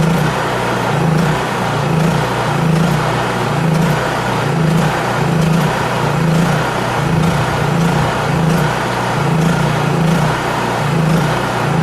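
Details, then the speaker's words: Honda EU3000is inverter generator after carburetor adjustment, fuel valve shut to burn fuel out of the carburetor for storage: engine hunts up and down about every second and a half; surging from fuel starvation. "and all that surging was because I turned that valve off right there the fuel valve"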